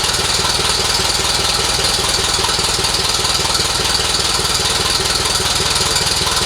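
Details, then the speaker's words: 1948 Silver King tractor engine after restoration reassembly and radiator repairs, possibly nearly out of fuel: fast even patter about four beats a second, no knock or miss; running normally. "Think We R out of fuel but sounds good all right well there we go guys we got her up and running again tested her out it sounded pretty good"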